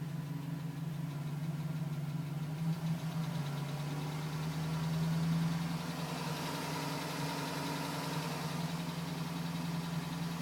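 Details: 2010 GMC Sierra V8 with 2000 miles, cold idle: light, quick tapping about three per second, still tapping at 4 minutes, stopped at 5 minutes 42 seconds as temperature reached; owner suspects piston slap, unconfirmed.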